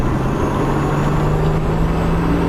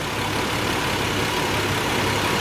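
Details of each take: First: Nissan 300ZX being driven after a PTU change to fix a misfire, with no spark plug change: steady road and engine drone, then a thin squeal rising in pitch. Back-end noises are also heard; possibly the all-wheel steering. The source is unclear. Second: Nissan 300ZX idling after an attempt to fix a misfire: an even, steady idle with a faint shake underneath, and the earlier hiccup is gone. It runs smoothly, though the water temperature reads a little high.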